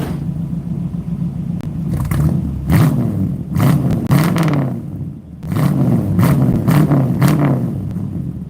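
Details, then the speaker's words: 1960 Ford Starliner, 292 Y-block V8: deep, even rumble rising and falling with several throttle blips, no knocks or misses; engine sounds healthy. "For just having a smalish engine, 292 Y block, it sounds good."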